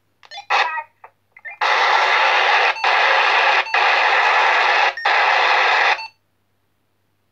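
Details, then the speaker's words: PNI PMR R6 portable radio set on channel 1, idling with no transmission: bursts of loud, steady background hiss about a second long with brief gaps; annoying static noise, cause unknown. "e un pic cam, cam ciudată, face un zgomot cam tare când stă pe liber, să zic așa. Ați văzut, uite, zgomotul ăsta de fond, e un pic cam enervant și nu știu de la ce poate să fie."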